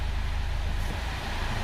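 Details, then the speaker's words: 2004 Honda Fit CVT after flywheel seal replacement: shifted back into Drive, the car pulls with a low, smooth rumble and no longer gives the rattle/clatter it made on engagement; normal drive engagement. "Vou pôr no drive de novo. Você percebe que o carro traciona, mas já não dá mais aquele chacoalho,"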